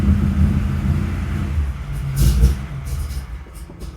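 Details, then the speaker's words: Rebuilt 1955 Chevy at first fire, cold: low rumble rises and sags instead of holding a steady beat, so the idle is unstable. Owner wonders whether it just needs to warm up or needs more carburetor adjustment. "I wonder if it just needs to warm up. Need to make some more carburetor adjustments probably."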